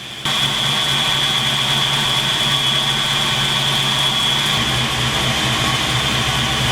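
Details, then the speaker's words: 1986 Mustang GT roller 302 HO 5.0 V8 after rocker/valve adjustment: steady, even idle with smooth low rumble and no tick; the previous day's loud tick, suspected from a sticking lifter, is gone. "it actually sounds good now yesterday trust me there was a nice loud tick"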